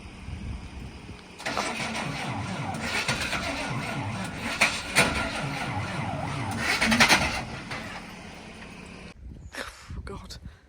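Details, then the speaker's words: Truck cranking in the rain: starter turns engine over at steady, slightly uneven pace for several seconds without catching; owner assumes flat battery, plans jump start. "I assumingly the batteries flat we're gonna try and give her a jump start and see uh see if we can work things from there slightly annoying it's not happy"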